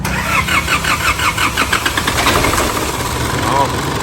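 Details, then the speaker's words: 2005 Isuzu D-Max diesel, towed in with a no-start, start test after parts replacement with the belt not yet adjusted: sluggish, evenly spaced cranking for about two seconds from a weak battery before the engine catches. "เดี๋ยวเราทดสอบการสตาร์ทก่อนแบตยังไม่ได้ง่วงคือแบบไม่รู้พวกเอาตันเลย"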